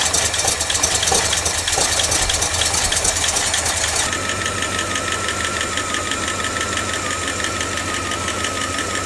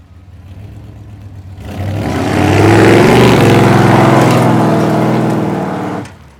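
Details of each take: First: 1989 Dodge D200 first start after cam bearing rebuild: fast, light ticking over the idle tracking engine speed as it settles; noisy lifter expected to quiet down soon, fuel leak found at braided rubber line afterward. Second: 1989 Dodge D200 V8 on a road test after cam bearing work and an oil pressure fix, timing 35° total at 2800 rpm: smooth, even acceleration with no misses or knocks; transmission shifting good, oil pressure good.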